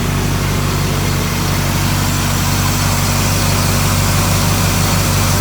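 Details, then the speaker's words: Barn-find 1967 Chevrolet KC10 truck, carbureted engine that had sat a long time, idling after a flooded start: even steady low rumble with an unbroken beat and no misses or knocks, purring smooth, normal idle. "It sits there, purrs, smooth."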